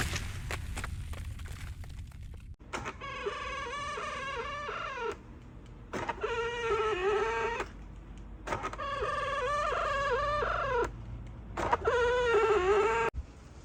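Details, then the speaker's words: Hyundai Sonata LF power folding side mirror: the motor runs in bursts with a loud wavering squeak and grinding. The cause is in the folding mechanism itself, so spraying lubricant won't help. "сьогодні покажу як відремонтувати оцей скри скрип скрежет на прикладі санатлф по дзеркалу"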